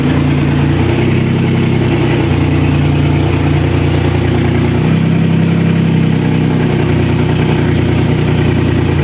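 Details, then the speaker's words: Wrecked Porsche Cayman after a replacement transmission was fitted and the clutch bled: a steady engine note holds as the car creeps forward under its own power, no knocks or rattles; it runs healthy. "the engine sounds good so that's that's amazing that's really good that's a good sign"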